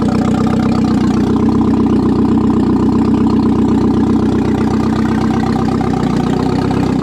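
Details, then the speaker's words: 1997 Audi A4 B5 after an engine install, running on a temporary non-turbo setup, started again. Steady, even idle with a smooth low hum and no knocks, misses or rattles. It idles fine and sounds good. "right on i'm happy with that that's a good year's worth of work i don't know it sounds good"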